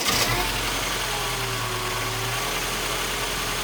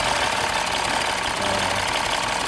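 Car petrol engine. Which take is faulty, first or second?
first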